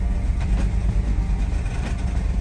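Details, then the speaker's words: 2007 Mercedes GL450 with a random misfire and low power: low rumbling idle that surges and dips, searching and very unsteady, with battery and check engine lights on. "Okay, it started. Still a bad idle. It's searching."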